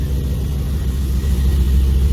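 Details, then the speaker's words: 2002 Camaro, first start after a Hooker Blackheart true-dual exhaust install and an oil change. A deep, steady idle burble with even pulses and no ticks or leak puffs; nothing banging: normal idle. "Everything's started. That's a good start. Yeah, nothing's banging. It sounds good."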